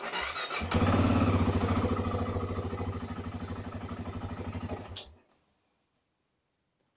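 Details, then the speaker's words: BMW F650CS motorcycle on its first start of the year after throttle body cleaning: it fires and runs with a lumpy, pulsing beat for about four seconds, then fades and dies; rough running, then stall. "ему тут не нравится."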